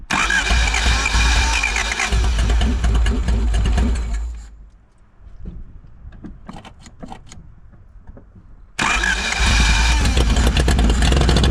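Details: 1985 Honda Civic parked 16 years, after fresh oil, cleaned battery terminals and fuel poured down the carburetor: catches and runs loud and uneven, drops back to cranking and sputters, then fires again; runs only on the added fuel.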